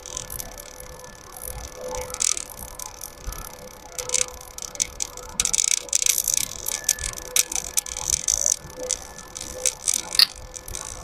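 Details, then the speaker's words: Welding machine that intermittently works and cuts out, tested with a cable: sharp, irregular crackling ticks over a faint steady hum, like current almost connecting at a loose contact; cause suspected, not confirmed. "Ternyata ada yang bunyi, Guys. Ada yang bunyi seperti antara strum mau nyambung apa enggak."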